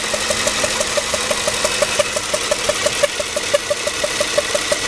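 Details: 2005 Toyota Sequoia SR5 4.7 L V8, about 162,000 miles, battery jump-started, no stored or pending codes: sharp regular pops about three per second over smooth idle from one bank; cause not yet revealed.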